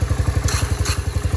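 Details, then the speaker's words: 250 SX three-wheeler two-stroke, electric-started once wiggling a loose fuse restored power: crisp, even putter at about twelve pulses a second, steady and unfaltering; runs like a charm, idles cleanly. "it is working. So I'm gonna see if I can't. Yes, sir. There she is. Runs like a charm, idles like nothing."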